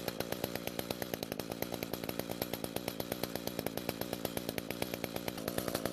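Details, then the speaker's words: Echo two-stroke trimmer that started but would not rev, with the attachment disconnected, after the muffler, top cover and spark plug were replaced: crisp, even firing that climbs smoothly to a steady high rev with no stumbling; normal revving. "now even though the trimmer attachment isn't connected it should still be okay to rev up the engine we just want to make sure that it does rev up better than our test run from earlier"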